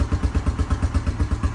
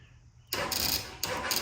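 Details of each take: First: 2000 Honda Foreman 450 ATV, single-cylinder, just started via starter button with jumper box, carb uncleaned. Steady thump about eight beats a second, no misses or clatter: clean normal idle. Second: 2000 Honda Foreman 450 ATV after replacing starter solenoid; starter now engages but battery lacks voltage. Starter bursts in sluggish, dragging efforts with pauses, turning the engine too slowly to fire: slow cranking from weak battery, jumper box next.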